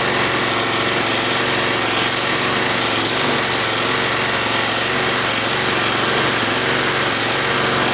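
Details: Roadside-salvaged Nautac mower with Quantum XM engine in poor condition: loud, hard-revving engine with buzzing rattle throughout, shaking heavily; owner blames the rusted, weakened deck and a probably unbalanced blade.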